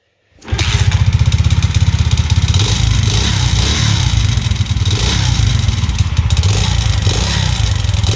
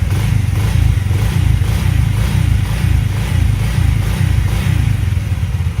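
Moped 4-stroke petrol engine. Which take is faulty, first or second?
first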